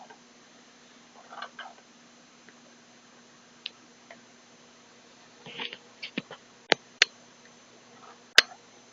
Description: Bought a Mi Drone from a Website but the Transmitter have a problem at the right stick, make some strange noise.